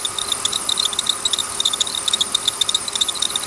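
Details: Sharp high chirps about three or four a second, slightly uneven, over a steady hum; belt slipping and walking off its track at the tensioner, pulley already replaced without success, owner suspects bad tensioner, not confirmed.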